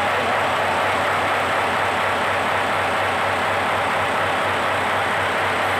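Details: Fully overhauled Hino 8 diesel engine running under load; steady even drone with smooth rapid beat and constant pitch, no knocks or misses; healthy after rebuild.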